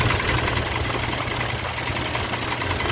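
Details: Mitsubishi Pajero 6G75 V6 at rough idle with a deep, uneven knocking that tracks engine speed underneath the running noise, typical of a worn rod bearing; rod knock.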